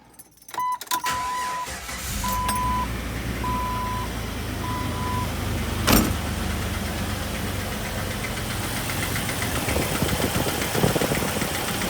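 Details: 2000 Jeep Wrangler TJ 4.0L inline-six idling with a faint quick ticking/knocking after it overheated and lost all coolant on a hot day. Loudest under the engine; with a stethoscope screwdriver the tick is heard at the water pump.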